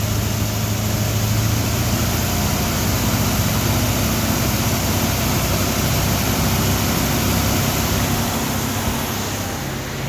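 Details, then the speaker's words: Rebuilt Ford 302 Windsor V8 with Melling camshaft and new exhaust, camshaft break-in at about 1500 RPM, idle turned up, warm with good oil pressure: deep, even rumble at a raised, constant idle, no ticking or misses; normal fast idle. "The idle up a little more to break it in."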